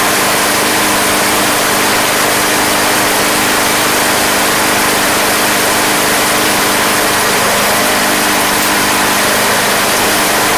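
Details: Craftsman Platinum lawn mower, Briggs 190cc single-cylinder, running after a no-start fix with a replacement carburetor: steady, even buzz at constant speed, no surging or misses; gas was seen from the crankcase vent, yet it runs fine.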